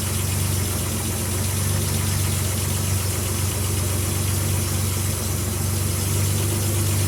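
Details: Nissan Z31 2+2 idling after installing a new 4-inch downpipe: deep, steady low rumble with an even beat around four a second and no misses; smooth healthy idle.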